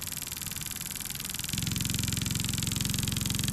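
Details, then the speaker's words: LED oscillator driving four LEDs in parallel at 3 volts, speed set by a potentiometer: nearly silent at low speed, then a loud, fast, steady banging of about four beats a second as it is sped up. "But you notice it's running nearly silently because I turned the speed down with the potentiometer to the point where it's not banging any longer."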